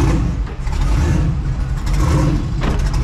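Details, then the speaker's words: Twin-turbo Mustang with an overheating issue, coolant just vacuum-filled with water: deep, uneven, lopey idle surging about once a second like a big cam. "don't you love that I just just fired right up it always sounds like it's got a big boy cam in it it definitely"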